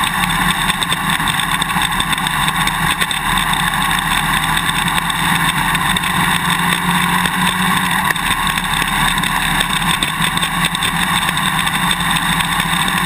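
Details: GoPro Hero 2 on a motorcycle swing arm, 1080/30fps, while riding: sharp, uneven clicking rattles over steady wind and engine roar. The quick-release buckle is vibrating loose in its mounting bracket; fix is the vibration plug, electrical tape or drinking straws between the parts.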